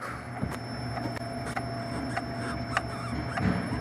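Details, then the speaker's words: Citroën C4, rear body: sharp irregular ticks and creaks over a steady low shaking rumble from the rear, picked up with a noise-detection machine; body panel creak from a loose spot weld. "mas o barulho vem da parte traseira aqui grilos no carro identificação de ruídos"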